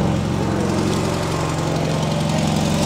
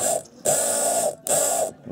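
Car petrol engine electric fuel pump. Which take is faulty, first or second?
second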